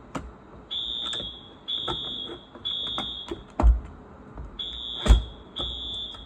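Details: Wheelock new-series fire alarm horn, wired up and tested: loud high-pitched blasts, each about half a second, in short repeated groups; horn sounding properly on test.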